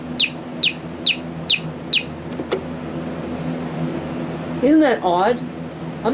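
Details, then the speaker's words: Vintage Simpsons-Sears co-op clock radio, possibly Sanyo or Panasonic-made with a "6412" sticker: five sharp, high bird-like chirps at about two a second, then a pause. It is a loud, odd-sounding alarm working normally. "you know it could be a bird but it sounds like a very odd and distressed bird to me so I don't know it's chirping noise it's a weird radio you're weird alarm sound but it will certainly wake you up because it's loud enough for that"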